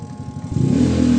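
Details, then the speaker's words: Spin dryer: a loud steady low hum at power-on but the drum won't spin, so the spin motor itself is faulty. "Ayun no. Ayan, ayaw umikot. May ugong pa rin. Ayaw umikot. So ibig sabihin motor na yung problema."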